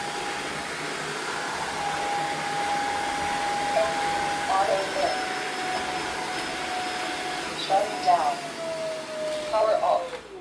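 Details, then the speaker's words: Tineco Floor One S5 suction motor at full speed, reassembled with water tank: steady high whine holds evenly, then winds down smoothly at shutdown; motor working fine. "And if we're going to go full speed and now you can hear that the motor is working just fine."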